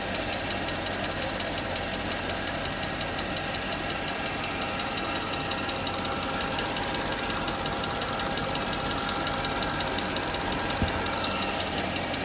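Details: 2008 Mercedes-Benz GL 550, non-runner revived with replacement used SAM module: light regular tick about three per second over a rough busy idle; owner suspects a lifter not yet pressurized with oil; smoke and water drip also seen.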